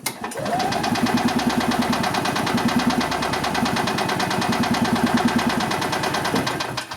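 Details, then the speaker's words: 1990 EZGO Marathon 2-cycle gas golf cart with oil injection: even cranking about three turns a second for seven seconds, never catches; owner suspects crud in the carburetor. "the car cranks over but it does not want to fire up it just cranks so I'm thinking we have some crud in the carb probably"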